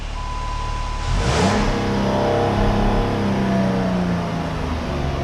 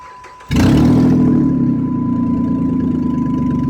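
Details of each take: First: 2007–2012 Dodge Charger after welding repair of broken exhaust flex pipe and studs: short tone, engine starts, revs and settles with smooth, even, quiet exhaust note, no ticking or puffing; no more leaks. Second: 2007-2012 Dodge Charger with a broken exhaust flex pipe and broken manifold studs, before the welding repair. The engine starts to a fast idle with a raspy chuffing. Exhaust leak.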